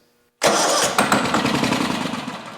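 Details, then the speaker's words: Abandoned 2003 Exmark zero-turn mower, years unused, first start on ether with throttle down and a little choke: engine catches abruptly and runs rough with harsh metallic clanking; owner suspects low oil pressure, possibly the ether. "immediate didn't like that noise though sounded like there wasn't really uh much oil pressure I that could have been clanking I guess it could have been from The Ether but that didn't sound good at all"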